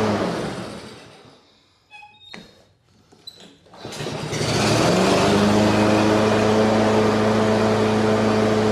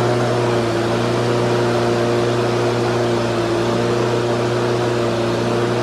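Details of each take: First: Husqvarna HU 600L mower, Kohler XT149, after repairs and reassembly: starts on one pull and settles straight into a steady, even hum with constant note, no stumbling; healthy, previously hard-starting and dying in seconds. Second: Husqvarna HU 600L push mower, Kohler XT149 engine that was hard to start and died in seconds, on old carburetor after flattening flanges and new gasket: single-cylinder runs flat out, steady high drone never settling to idle; running far too fast.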